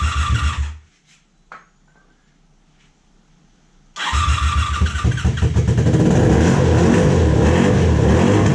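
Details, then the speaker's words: 1987 Honda Super Magna, sat about 10 years in a field, first idle: a stumble, then a lumpy uneven idle with smoke that steadies slightly, seeming briefly to fire on all four cylinders. Rough running, misfire. "Oh no. It's definitely not happy, but it's starting to clear up a little bit more and more."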